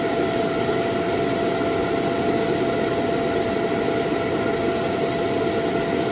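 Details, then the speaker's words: Laresar L6 Pro robot vacuum self-emptying base: unbroken high-speed motor roar with steady whine that never cycles or shuts off after docking; auto-empty suction stuck running, fault. "And then it'll just start suctioning, like the auto suction, and it won't stop. It just keeps going."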